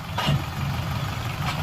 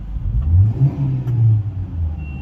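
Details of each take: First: Hyundai i20 idling: rough, rumbling growl from the gearbox that changes as the clutch is pressed; gearbox oil had fully dried up from leakage, fixed by opening and servicing the gearbox. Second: Hyundai i20 after gearbox service for a noise caused by oil fully leaked out and dried up: engine revved with the accelerator gives a smooth low drone, no whine or grinding from the gearbox after the trial run.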